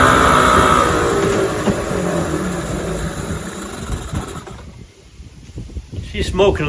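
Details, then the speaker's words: 1996 Johnson 15 HP two-stroke outboard on 40:1 fuel mix, pumping cooling water: small two-stroke buzzes along at a steady, even beat, smoking a little, no misfire or stumble; runs clean, normal running. "so it smokes a little bit it runs pretty good"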